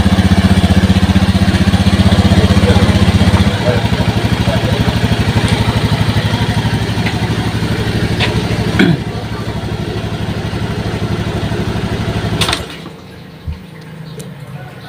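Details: Honda Scoopy injection scooter that would not start with 12-blink injector code, after finding and fixing a shorted wire: engine catches and settles into even, regular putter at idle, then shuts off cleanly; running normally.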